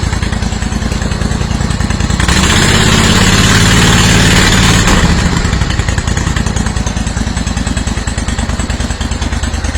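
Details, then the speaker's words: Steiner zero-turn mower, Kohler Command 25 V-twin, after cracked oil line replaced, new stator, regulator and coils, fresh ethanol fuel added: steady, even beat swelling smoothly when revved and settling back; normal running after repair. "we got the leak cleaned up and fixed it was a crack in the oil line so we just replaced the line it's running"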